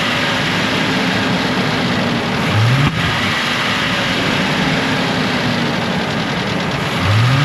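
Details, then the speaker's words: Old Ford F150 4.6 V8 with suspected engine knock/rattle, misfire and oil bottles in bed, revved in rising bursts: rough, choked note that won't rev up, faint possible tick; a clogged catalytic converter is suspected (rotten-egg smell), cause unconfirmed. "okay so listen I'm no mechanic or anything but I think something's ticking inside that engine"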